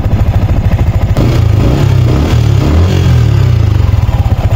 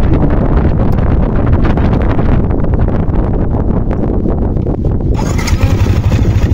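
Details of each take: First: Yamaha Sniper 155 at idle after the new manual cam chain tensioner was adjusted tighter, which removed the earlier chain noise. Even, steady putter with regular firing pulses and no chain slap or rattle. Normal idle. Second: Sniper 155 at idle right after a new aftermarket manual cam chain tensioner was fitted. Fast, clattering ticks over a chugging idle because the tensioner is still too loose and needs tightening a little more. Cam chain rattle from a loose tensioner.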